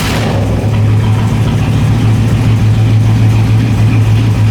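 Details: LS1 V8 in a BMW E30, just fitted with a new MSD 6014 box replacing the 6010, first start after a coolant temperature sensor alert: rough idle with an uneven stumbling pulse. Owner doesn't think the computer is the cause; cause not found.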